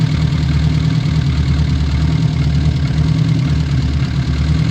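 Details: Old Austin Mini Cooper with Lucas/MSD ignition, just after first start: loud low idle with slightly uneven, lumpy beat, no clear knock, still needing setup; distributor and fuel adjustment later made it sound good.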